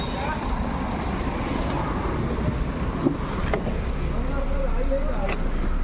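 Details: Jeep Compass after replacing the seized alternator pulley that caused engine compartment noise: steady low smooth idle hum with no chirp, squeal or rattle from the belt drive; noise cleared, normal idle.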